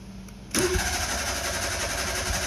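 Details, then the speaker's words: Old carbureted French car long neglected, partly seized choke closed and bowls filled: after a pause the engine suddenly fires and runs ragged and uneven, catching but barely holding on. "he's running oh oh she was running well let's try again"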